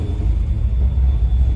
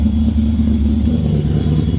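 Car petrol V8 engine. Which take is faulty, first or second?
first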